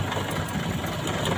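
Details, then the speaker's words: Petrol four-cylinder engine idling with one spark plug lead pulled: uneven lumpy beat and heavy vibration as one cylinder doesn't fire; a misfire test showing that plug was working. "oke kita lihat bagaimana getaran mesin pada saat salah satu silinder tidak menghasilkan usaha"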